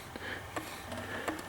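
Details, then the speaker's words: Tiny Peter Pan wind-up novelty phonograph playing a Little Wonder record with a loud-tone needle; light clicks of about three a second over a low hum are the normal characteristic of its record support. "about the clicking noise you hit her hear it that is just a characteristic of this type of can't really call it a turntable I guess it's a record support"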